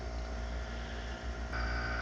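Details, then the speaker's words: Homemade silent air compressor using a propane tank as the receiver, in about -8 °C cold: air is bled off until the pressure switch clicks in below 95 psi, then a low, steady, even hum firms up; the compressor cuts in and runs normally. "I'll uh bade off some air and let you see that click over now it's probably not going to click over there it goes"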